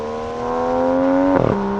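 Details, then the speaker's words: 2020 Aston Martin DBS Superleggera V12 twin-turbo accelerating hard from third gear: strong rising V12 howl, quick dip at the upshift, then climbing again; about 10 dB louder than the DB11 V12, healthy clean-revving engine. "The sound is really good. So this is 10 decibels higher than the DB11 V12, and you can hear it."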